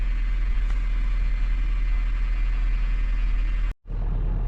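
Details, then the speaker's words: Honda Fit GP5 hybrid at about 149,862 km after robotized gearbox clutch repair and calibration, throttle body adaptation running: steady, even low idle rumble with no knocks, misses or hunting; normal idle. "всё тачку мы запустили всё нормально работает сейчас на на адаптации стоит у нас дроссельная заслонка"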